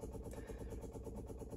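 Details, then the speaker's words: TVR Vixen Series 3: Facet Red Top electric fuel pump, sound-insulated under the body shell, priming for the single Weber 32/36 DGV carburetor before start, ignition on, engine off. Quick, even ticking pulses with a low hum beneath; normal priming. "it's sound insulated or should be but you can obviously still hear it while it's aerating uh it's a facet Red Top pump so it's got more than enough capacity for the single Weber 3236 dgv carburetor"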